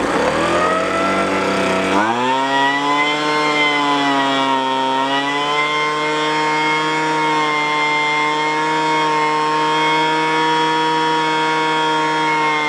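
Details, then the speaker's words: Roadside free two-stroke machine after opening up the restricted exhaust port; previously spat from the carburetor when revved: picks up sharply then holds a clean, steady high-pitched buzz without sputtering; running properly, fixed. "oh that's nice huh that one's fixed that was a problem"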